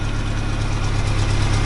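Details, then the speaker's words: 1992 Ford Ranger, worn engine that still runs, many parts replaced including spark plugs, wires and fuel pump: loud deep exhaust drone with a lumpy, uneven idle pulse; owner says it has bad compression. "this right here this is Black Betty or big piece of [ __ ] still runs but it's got bad compression"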